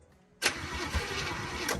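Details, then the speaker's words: 1965 Acadian Beaumont V8, being revived, fuel poured into the carburettor: short crank, then fires about a second with uneven pulses and dies; suspected fuel starvation, only a pinch of fuel in the system. Starts briefly then dies. "If it had more than a pinch of fuel in its system, it'd probably run."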